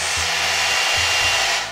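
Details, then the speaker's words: Returned hair dryer just switched on: steady high airy rush over a low motor hum, dipping once then recovering before winding down; it works. "Okay, it works. Now it's time to test it out."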